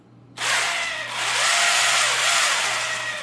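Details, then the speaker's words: WLtoys RC car, about five years old, on a small generic battery: electric motor spins up to a high hissy whir with faint squeaks, with clicking from a faulty servo; squeaky motor, cause suspected. "So, you kind of hear how it's kind of squeaky. That's the motor in there, but the servo's messed up on it."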